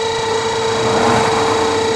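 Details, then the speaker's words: Spin dryer spin motor being repaired: a constant high-pitched squeal over a low hum while the drum spins. Lifting the brake did not stop it, so the dry motor shaft is being oiled; if the noise stays, the motor comes apart for cleaning. "Lagyan natin ng mantika ito mga kabuting-ting. Kung hindi pa to, kung hindi ito ano, success or hindi mawawala yung ingay, kailangan natin itong baklasin."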